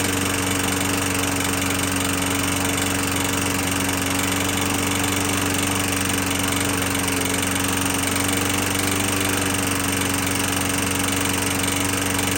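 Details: 21-inch Murray 125cc single-cylinder push mower after valve adjustment, oil showing metal sheen: uneven, shaky beat with some rattle at steady speed; still rough; owner suspects internal damage, possibly from running without breather cover; not worth fixing.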